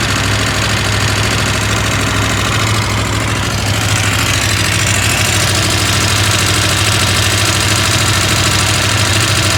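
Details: KTM 890 Adventure R twin at steady idle: busy metallic rattle over the beat, about two or three per second, a bit quieter when driven; owner asks whether normal, source not pinned down.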